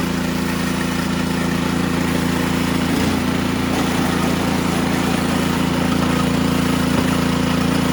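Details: Ariens Sno-Tek 24-inch snowblower, model 920402, 208cc engine, just started, augers not engaged: smooth steady single-cylinder drone with an even beat, no clunking or rattle; normal running.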